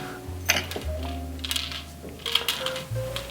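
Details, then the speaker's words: Trek FX 7.3 hybrid bike wheel turning: irregular light clinks and taps from a hard loose object rolling inside the rim, often a dropped spoke nipple head. The hub feels adequate but slightly crunchy. "so we don't know what's going on inside this rim um but something's floating around in there A lot of times it's just like the one of the spoke nipple heads down"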